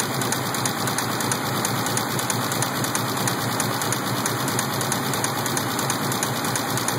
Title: Rod knock?